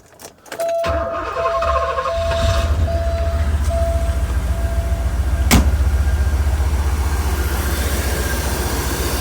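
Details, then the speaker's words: Porsche 928 V8 with injectors replaced: catches and settles into a lumpy, uneven idle with recurring stumble and visible hood shake; misfiring at idle, unplugging components makes no difference, cause not yet found. "i mean it sounds alright sort of you definitely feel a shake that has power"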